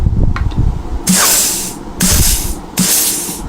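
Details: Rebuilt Trimatic TH180/3L30 automatic transmission (Holden Commodore), bench air test through a test plate: sharp hissing air bursts about once a second, each followed by a solid thump as the clutch or servo applies. Sealing holds fine.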